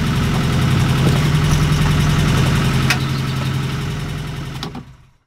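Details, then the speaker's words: 1969 Ford Capri engine at idle after adjusting valve clearances and cam followers: light, steady ticking keeping pace with engine speed until shutdown, quieter than before; one or two valve tappets still noisy. "but I think I've improved things but there's still freaking tapping noise isn't there yeah but it sounds like there's only one or two of them it's not continuous Orchestra of them"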